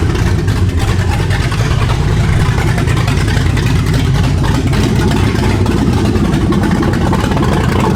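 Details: 2015 Ford Mustang S550 with swapped 7.3 Godzilla V8, first start after BCM no-RPM-signal fix, before new Holley exhaust finished: deep, lumpy V8 rumble settling into steady idle, no knocks or misses.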